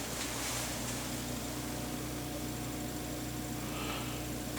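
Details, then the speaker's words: Bosch 16 kW geothermal heat pump with frequency inverter and an extra brine pump for a 212 m deep vertical loop, heard indoors: a soft constant hum with faint steady tones, no rattle or cycling; running quietly and normally. "Here you have the heat pump. It's a Bosch 16 kilowatt heat pump with a frequency inverter, so it can go up and down"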